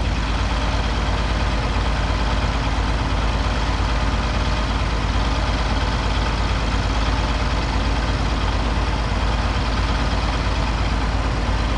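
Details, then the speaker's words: Oliver 1550 tractor disking with a John Deere disk after contaminated fuel cleared from the system: deep, steady diesel drone holding an even beat under load, no stumble or knock; engine running healthy. "I want to set you down here and make a round or to let you hear how this thing is running now I think you're gonna enjoy"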